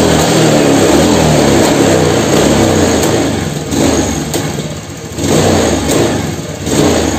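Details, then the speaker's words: Honda Beat FI scooter with no power at high rpm and slightly stumbling idle, injector, throttle body and spark plug already checked normal: revs surge then sag and flatten at full throttle. "atasnya itu enggak ada tenaga nih guys Coba kalian perhatikan disini untuk dibagian skepnya ya di sini ya skepnya sudah mentok sampai atas tapi ini tenaganya nggak ada"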